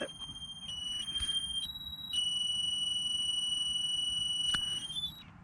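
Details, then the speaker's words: JJRC X7P quadcopter power-on (click and hold): cheerful run of steady high beeps stepping up and down in pitch over quiet hiss, normal startup tune, then transmitter binds automatically. "So as soon as you turn on the transmitter after that beautiful tone from the X7P, transmitter just binds automatically once you turn it on."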